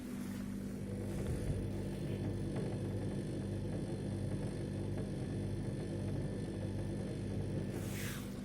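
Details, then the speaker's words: New Beko refrigerator, level and nearly empty, with its compressor running: a steady low hum with a faint buzzing rattle from somewhere low near the bottom grille; pressing the grille quietens it slightly but the rattle persists. "он где-то там внизу дребезжит и решетка нажмешь пальцем вроде потише но по факту оно все рано дребезжит и дребезжит"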